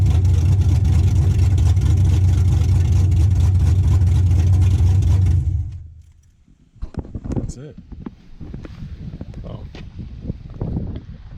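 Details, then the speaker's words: First start-up after DIY LS V8 swap: deep steady rumble held evenly about five seconds before shutting off; engine fires and runs fine. "yeah first LS walk done bumpy probably won't be my last"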